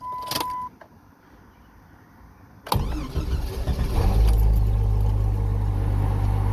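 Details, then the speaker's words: Vehicle cranked during a scan tool cranking test with the battery at 12.52 V. Short crank, catches at once and settles into a steady, even low idle; healthy engine start. "so let's hope it figured that out since it started right up like it should"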